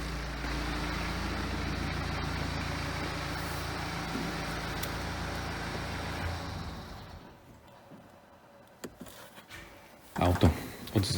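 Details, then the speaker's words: BMW F34 320d, B47 diesel, manual with all-wheel drive, after alternator replacement to cure noises: steady even idle with no whine, rattle or rough beat for several seconds before shutoff; noises gone, healthy. "Słuchajcie auto poskładane tak to wygląda po zamontowaniu uruchomię Zobaczymy czy jest dobrze czy nie ma już tych wszystkich dźwięków"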